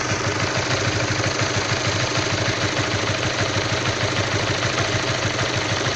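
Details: All-new Honda CB150R motorcycle, fully stock AHM, cold idle: busy rough idle with a fast uneven ticking knock, roughly three beats a second over the engine hum; cause not pinned down.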